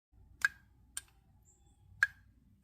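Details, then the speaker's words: Audi throttle body, removed from the car: sparse sharp light clicks, about four in three seconds, from the loose gear inside the throttle body, normal and harmless. "so if you're just playing around with uh your Audi and you got the throttle body off and you hear that clicking noise you just heard"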